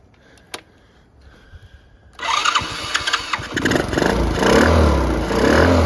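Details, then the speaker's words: Restored Honda CT70 four-speed with 110cc engine and electric start (other has 70cc engine), starting: little four-stroke catches after about two seconds, blips up cleanly and settles into an even, steady run; healthy. "i restored a couple ct 70s this one's got the 110 leaf on engine electric start the blue one's got the 70 cc engine in it both four speeds get started so you can hear how it sounds"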